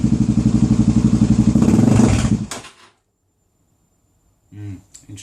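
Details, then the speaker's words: Suzuki DRZ400SM single, fuel confirmed flowing to carb, started with fuel cap off, around quarter throttle: uneven chuffing about four beats a second, surging and stumbling before dying; rough running, suspected fuel starvation. "you give it a bit big it's interesting on that sort of uh about quarter throttle it's not really enjoying it"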